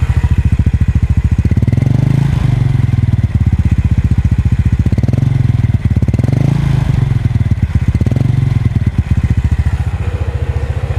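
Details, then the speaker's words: Yamaha Mio Sporty scooter after carburetor refit, recorded with external mic: small engine idles with steady pulse and picks up cleanly through gentle low revs; smooth low-rev pickup, earlier low-rpm stumble gone. "halus sekali tanpa ada apa gejala gejalaan berbet sama sekali nih lihat kita tes lagi"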